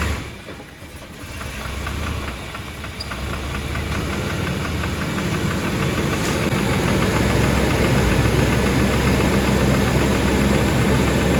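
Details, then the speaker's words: Chevrolet S10 crew cab 4.3 with suspected lifter tick, after adding about a quart of thick Lucas oil: steady idle with a light, even tick, roughly 220 a minute, tracking engine speed; quieter than before but not gone, cause unconfirmed. "winding down. See, it's not too bad right there."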